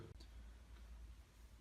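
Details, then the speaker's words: Bosch Classixx 6 Varioperfect washing machine after brush change: sparse sharp relay clicks over a low hum, with no motor or drum sound following; drum never turned for 10 minutes and motor error persists. "So it did pretty much nothing for 10 minutes, and you could hear the relay clicking in and out for the motor, but nothing happened."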